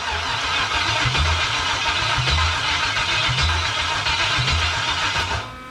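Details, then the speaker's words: 1977 Pontiac Trans Am with a 5.3 LS from a 2001 Chevy Tahoe, first start attempt: slow, even starter churning at about one beat a second with no catch or fire. Cranks but won't start; a missed wire was found afterwards. "okay so we should have been fired off by now so we gotta do a little more investigating"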